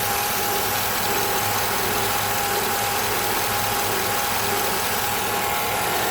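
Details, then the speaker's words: 2007 Chevy Avalanche 5.3L Vortec V8 with AFM, 124k miles, warm at idle: a thin steady squeak above an even idle; the owner suspects a pulley, but the exact source is unconfirmed. "tell me what you guys think you feel that roll pitch squeaking that's what's making me a little nervous"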